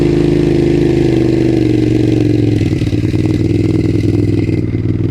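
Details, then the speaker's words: 2002 Suzuki SV650 V-twin after emergency carburetor cleaning, just started on choke with new battery tender: fast, even twin-cylinder patter easing down steadily with no stumbling; both cylinders firing, runs much smoother than before, when one cylinder seemed to rattle at low rpm. "Yeah, that sounds nice. I will definitely say it runs a lot smoother."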